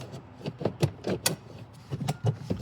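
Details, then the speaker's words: Abandoned police Charger ride-on with rewired light kit and battery showing full three-green charge: rapid irregular clicking bursts with no motor running, owner suspects a blown fuse trying to reset; intermittent clicking. "Oh, that's that's the fuse trying to reset itself."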